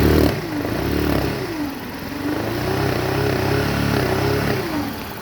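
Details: 2017 Yamaha Factor 150 motorcycle engine running: wavering turbine-like whine over a low rumble from a burnt stator, with a broken bearing in the engine; stator was later replaced.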